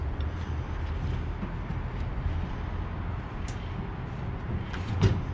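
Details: York rooftop package unit after replacing the whole blower assembly with a blown bearing and fitting a new belt: steady low blower hum with even belt drive and no bearing growl; acceptable running after repair.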